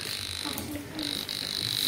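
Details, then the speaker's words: Continuous high steady beep from a mini detector for electric-cable frequency (PLTS/PLN wiring) as it moves along the cable, no dropouts; cable intact over its length, no break. "Nah, kabel ini aman teman-teman ya, tidak ada yang terputus teman-teman."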